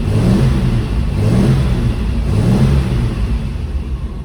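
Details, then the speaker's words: 1966/67 Lancia Flaminia GTL 2.8 3C Touring, started with no choke, engine neither warm nor cold: catches first time and settles into an even, steady beat with no misses, knocks or rattles; normal running after start. "There she goes. No choke at the moment, so she's running. Starts that easy."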